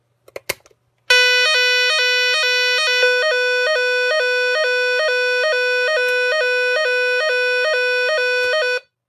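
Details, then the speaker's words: Repaired Nugelec NUG31218 type 4 fire alarm panel, retest: loud electronic siren stepping evenly between two pitches about twice a second, no dropouts, still changing pattern partway; siren and panel working normally. "Là, elle sonne bien. Enfin, non, elle fait pareil. Elle sonne d'une façon après d'une autre."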